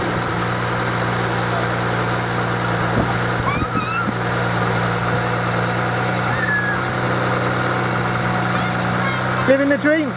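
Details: 2007 BMW 335i E91 just after refitting its refurbished starter motor: a smooth, even low hum holds steady throughout with no knocks or starter noise; the engine is idling normally.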